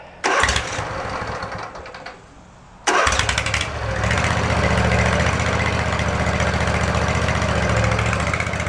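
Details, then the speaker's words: Swisher ZT2250 zero-turn mower, testing a new PTO switch for the mower deck: engine cranks, catches and settles into a loping, uneven idle. It stalls when the blades are engaged; maybe not the switch, and a seat or control-arm safety switch issue is suspected. "well that's interesting maybe not the switch then i wonder if we have a safety switch issue"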